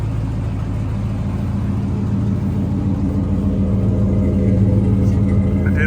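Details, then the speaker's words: Chevrolet squarebody truck with a full brand-new Flowmaster exhaust: a deep, steady V8 burble with an even low rumble that builds slightly toward the end; normal, healthy running. "the exhaust so it has full brand new exhaust on it Chrome tips actually I think it's stainless still those are flow Masters by the way now you probably recognize the sound"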